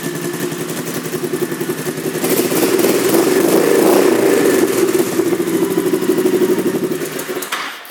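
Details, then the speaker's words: 2001 Honda VT1100C Sabre V-twin cruiser, just over 22,000 miles, lumpy idle and brief throttle blip with loud raspy exhaust bark; baffles may have been removed, though pipes look OEM; unconfirmed. "Almost kind of sounds like the baffles may have been removed on this one too, but they look like they're OEM pipes."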